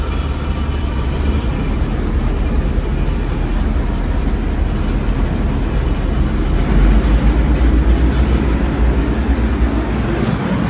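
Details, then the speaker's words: Gleaner combine at auction preview, running warmer than the owner would like, header down, reel and auger engaged: deep steady diesel drone with even mechanical churning, no knocks or grinding; all sounds fine, auger working, normal running. "All sounds fine. Yeah, it sounds pretty good. Auger is working. No weird noises over here."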